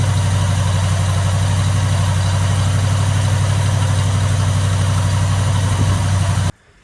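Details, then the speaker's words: Chevy C20 with 402 big-block V8, first run and camshaft break-in, 180 thermostat, running warm at 210-215°F: deep, even idle with steady low rumble, no knocks or misses, no smoke or leaks; healthy. "But other than that, it ran really good, as you'll hear in the video. It doesn't smoke. It doesn't piss out any fluids or anything dire like that."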